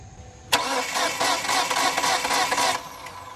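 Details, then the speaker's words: 2006 Kia Sportage 2.7 that shut off while driving, crank no start, spark present: about two seconds of quick light even cranking with almost no compression beat, spins too easily; timing belt broken. "I don't want to get ahead of myself but I don't like how easily this engine is spinning over"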